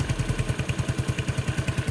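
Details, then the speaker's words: Yamaha Neo 115 scooter after greasing the kick-start shaft that had been rubbing: even, quick putter at idle with steady firing pulses, no scraping, noise gone. Normal idle. "Então acho que era o eixo mesmo que tava encostando ali passei uma graxinha ali parou acabou o problema"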